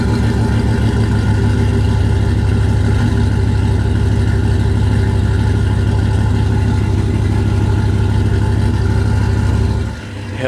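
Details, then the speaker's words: GM 5.3 truck with a P0300 misfire code at idle: rough, lumpy idle with about three uneven pulses a second, louder than before because one cylinder is not firing; it smells terrible. "it sounds a little bit more the house it used to sound a little bit Kemp but now you could hear it more because that's because one cylinder is not working so yeah that's a misfire"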